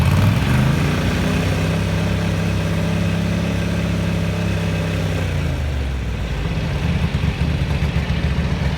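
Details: 1983 Ducati MHR bevel-drive twin, 40mm Dellorto carburettors after vacuum-gauge balancing: revs settle smoothly from a blip down to a steady lumpy beat; carbs balanced, normal idle.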